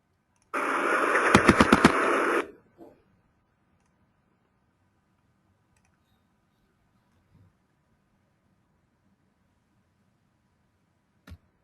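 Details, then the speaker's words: Engine vibration signal: about five sharp, distinct raps through a short hiss burst, auto-ignition knock (detonation), detectable by AR modelling error peaks. "if you listen to the vibration signal of the engine you can hear five knocks clearly however you cannot see it from the vibration signal"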